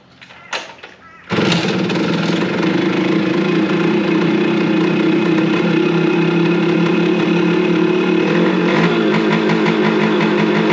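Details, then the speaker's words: 1974 G4TR100 two-stroke motorcycle, long unstarted, just back from an old-bike mechanic: after a quiet start it catches on the kickstart and settles into a steady, even two-stroke burble with no misses; running healthy. "How awesome is that? It actually kicks over."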